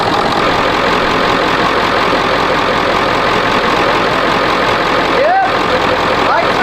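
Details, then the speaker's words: 1999 Ford F-450 7.3L Powerstroke diesel that sat for years, started after charging batteries and refitting starter and flywheel: steady, even diesel clatter at idle with no misses or knocks; owner suspects it may hard-start every time, but better batteries help. Normal idle. "I don't know maybe it's a hard start every time but having that uh more battery voltage better batteries that certainly help it's running it sounds good"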